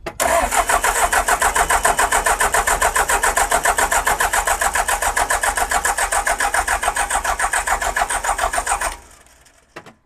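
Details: Abandoned John Deere digger with a new starter, cranked after refitting the ECM, with possible air in the fuel system: steady cranking at about three and a half beats a second for nine seconds, never fires. Cause unconfirmed.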